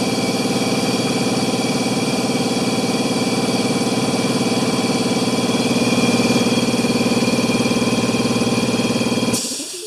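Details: Air compressor revived after sitting 8 years, newly fitted pressure switch: even rapid pumping near four strokes a second, steady as pressure builds, then stops cleanly; healthy running.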